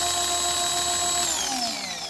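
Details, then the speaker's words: Ryobi 2000 PSI electric pressure washer run with the sprayer handle removed: steady, even high motor-pump whine, then sagging as it winds down; pressure normal through pump and hose, so the fault lies in the handle. "That's just regular water pressure. So we know everything's good from here, through the pump, out the pump, to the hose."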